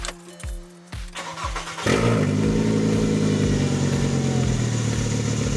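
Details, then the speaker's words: 2007 VW Jetta MK5 2.5L, 200,000 miles, exhaust rusted off right after the downpipe: cranking, then a loud raw rasping roar on start-up settling to a harsh idle; effectively straight-piped exhaust, not intentional. "And that is what a straight-piped 2007 Jetta sounds like. Yeah, you heard me right. No, we didn't do it intentionally."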